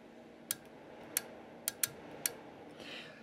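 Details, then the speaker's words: Yaesu FT-450 HF transceiver: on keying transmit there is no output at all, only sharp irregular clicks from the transmit relay over quiet hiss; owner suspects bad relay contacts so the rig never enters transmit, finals not yet checked. "what I've noticed is when I go in to transmit right look at this there's nothing nothing at all and what I hear clicking is this relay right back here"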